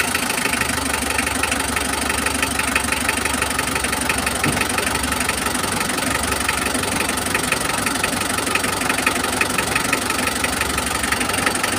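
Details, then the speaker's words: Mitsubishi L300 diesel at idle after cleaning the injector nozzles: steady even clatter with no heavy shake or stumble; normal diesel idle, roughness gone. "Jadi, sekarang saya melihat mesinnya tidak lagi bergetar hebat, tidak lagi kasar. Eh, cukup jelas. Yang jelas ada perubahan, suaranya sekarang stabil, teman ."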